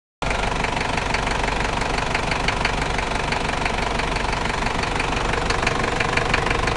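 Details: New Toyota 1KZ-T diesel engine at idle: sharp, fairly regular knock clattering over the engine note, heavier than normal injection rattle.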